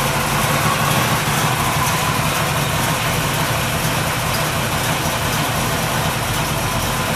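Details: 383 Chevy V8 in a 1964 El Camino: loud, throaty, even lumpy idle with no knocks or ticks, a little noisier than hoped but healthy.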